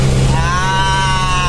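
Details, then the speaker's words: Mitsubishi L300 diesel driven through 2nd, 3rd and 4th gear on its first tune-up setting, after previously being jerky and not pulling. A smooth, even diesel drone rising with speed, no knock: normal running. "bunyi mesin halus guys. Cus, nih 4 guys. Mantap jiwa guys, mantap jiwa guys."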